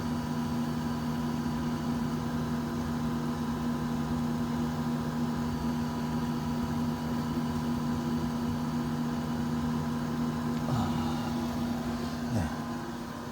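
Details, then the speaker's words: Camper van parking heater (boiler-type, antifreeze circuit feeding floor heating and hot-air fan) running on high setting: steady low hum with even blower rush, no clatter; normal, and the owner says it is quiet once turned to low after warming. "지금 이제 세게 틀어놨는데 이제 따뜻해지면 약하게 이제 틀어놓고 그러면 조용합니다."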